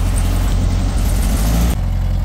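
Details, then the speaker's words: Beetle warming up after restart: deep, steady settled idle with no misses, running sweet and responsive; owner suspects the very carboned last spark plug pulled caused the earlier missing. "running sweet again very responsive the the last plug I pulled out was very carboned up so could have been the issue"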